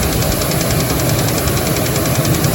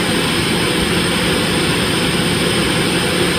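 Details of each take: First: Dodge Dakota 3.7 at idle after three collapsed lifters were replaced: a quick, steady knock under the running noise, seemingly from low in the engine; the owner is pretty sure it is rod knock, though unsure whether the tick was simply louder. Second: Dodge Dakota 3.7 V6 cold start after replacing three collapsed lifters without removing the camshaft: steady even idle under a loud hiss from open vacuum lines, no ticking; valvetrain sounds quiet and healthy.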